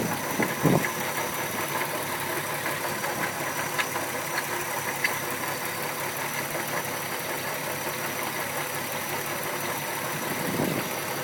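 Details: MK4 VW 12v VR6 petrol engine idling with a steady hum and a faint, irregular knock showing through now and then; owner unsure of the cause.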